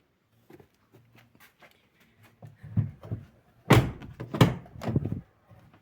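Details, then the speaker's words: Driver's door on a Jeep Patriot, opened fully and shut with dull thunks and a solid latch; after greasing the hinge with solidol, the former squeak is gone. "і повністю відкриті на останнє положення і як чуєте скрипу Уже немає в цьому допоміг нам салидол"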